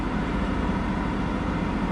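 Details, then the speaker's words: Isuzu, just reassembled (throttle, cruise cables, coolant lines, intake), restarted after disconnecting the battery a few seconds: a steady engine drone well above normal idle, slowly coming down. High idle; a battery reset may be needed again. "well so far not good the idle is slowly coming down but it's much much higher than it should be at the"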